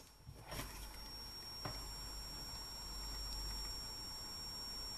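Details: Switching power supply for a computer amplifier: thin, steady high whistle, caused by a failing capacitor between the transformer and a resistor.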